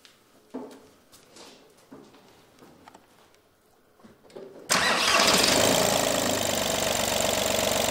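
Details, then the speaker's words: VW-group TDI diesel (Audi A2) on its first start after a timing belt and water pump change and a coolant refill: it cranks, catches at once and settles into an even clatter of about four beats a second. Healthy idle. "läuft super"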